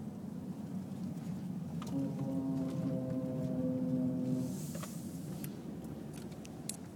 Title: Noise when turning right